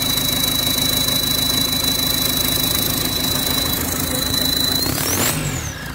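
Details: Diesel PSA engine fitted in a Mazda: loud, steady high-pitched whistle swooping up near the end, from a turbocharger damaged after losing oil pressure and lubrication.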